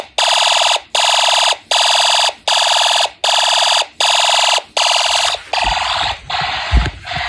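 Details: Homemade Snap Circuits fire alarm system test, horn after pull station trips with panel unsilenced: loud buzzy pulses roughly every 0.8 seconds, even cadence. Fire alarm horn sounding.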